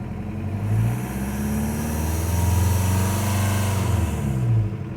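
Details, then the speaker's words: New engine in a Toyota with a 1.9L TDI diesel swap, just fired up: a smooth, steady diesel clatter with a brief rev blip. It idles right away with good oil pressure while the temperature climbs, sounding healthy. "Alright, just got it fired up here. Seems to be idling right away. Pretty nice."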